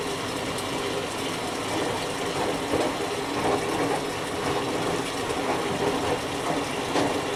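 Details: Whirlpool Duet Sport front-load washer that gave an F-1 error in final spin (high vibration, main relay failure), tested after the control board solder was reflowed in a toaster oven at 375F: even water sloshing, soft irregular clicks, no grinding or banging, running normally.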